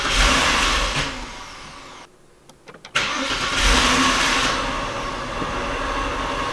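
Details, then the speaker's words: Saturn L300 with no-start problem, running with the drive-by-wire throttle body unplugged; reduced power and service engine lights on. Cranks, catches, then holds a steady fast idle that never revs; limp mode, OBD-II codes readable only in this state. "I can get it to run but obviously with the throttle body unplugged and the strobe by wire nothings I can't you know I can't drive it you can see the reduced power light on and then that service engine light has come on"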